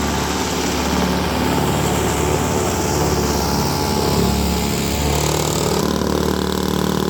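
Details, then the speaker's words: Roadside-found, rehabbed Toro S-200 two-stroke snowblower, first snow test after cold electric start: steady buzzing as it chews through snow, holding speed without bogging or misfiring; normal running under load. "that the little guy is performing like a champ I'm very pleased"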